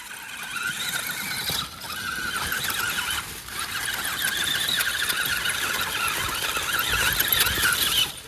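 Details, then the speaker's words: Wraith 1.9 RC crawler, 3-gear transmission, AR-60 axles, after competition damage: high-pitched chirping squeal with gritty grind that comes and goes while driving, from the front axle; front ring and pinion teeth skipping suspected. "I don't know if it's coming through on video or not, but I can definitely hear some chirping, grinding kind of a sound. Maybe a little skipping of a teeth or something. It definitely sounds like it's coming from up front, which is not surprising."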